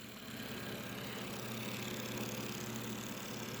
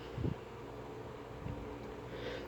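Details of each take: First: Old Sanyo desk fan motor running without blade during repair, worn thin bushings: steady hum with fast rhythmic scraping rub; homemade spacer oddly shaped and too big, rubbing as shaft spins, needs trimming. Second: Sanyo desk fan after motor teardown, run at speed 1 with the non-working oscillation mechanism removed: a faint, steady low hum with only a few soft bumps and no rattle or buzz. The motor runs smooth and quiet.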